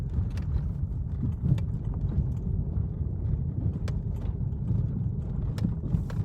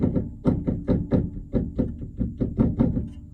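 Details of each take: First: 1997-2001 Chevrolet Vectra B rocked by hand: rear suspension now quiet apart from low rumble and faint clicks; the interior knock over bumps was fixed by replacing the stabilizer bar bushing after shocks, bump-stop kit and bushings failed to. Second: Vectra B (1997–2001) rear suspension struck by hand: sharp hollow knocks about three a second from play in a worn stabilizer bar bushing, heard inside as knocking over bumps; fixed by replacing the bushing.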